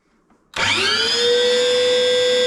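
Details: Chip extractor that had developed a bad cutting noise, owner suspecting a motor bearing, after his fix: spins up within a second to a clean, steady hum with a smooth whir and no scraping. Running normally.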